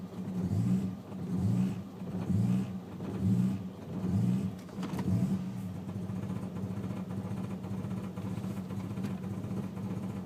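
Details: Ford BA XR6 Turbo at idle: idle swells and sags about once a second for several beats, then settles to a steady hum; rough, uneven idle.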